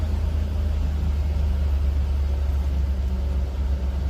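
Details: 2003 Chevrolet Tahoe 5.3 V8 just restarted after replacing valley pan gasket, knock sensors and intake manifold gaskets, fuel system reprimed: deep, steady low rumble with an even beat, no knocks or ticks; normal idle.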